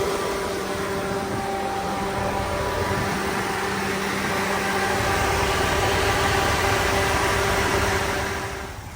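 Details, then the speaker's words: 2001 Chevrolet Tahoe electric fan conversion, no tune, engine not yet at operating temperature: AC compressor clutch wire triggers one fan on high, other off; steady whooshing airflow, even hum, no rattle; normal high-speed fan. "So right now the AC is turning on this fan on high, and the one on that side is actually off because the operating temperature hasn't been reached."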